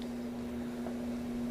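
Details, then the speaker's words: Inexpensive ceiling fan newly installed in a bathroom: constant low-pitched hum on one steady note the whole time it runs, louder than two other fans in the same condo; motor hum, cause unclear, blamed on cheap build. "and this ceiling fan do you hear it kind of humming that's another thing that you get when you buy something kind of inexpensive you get what you pay for"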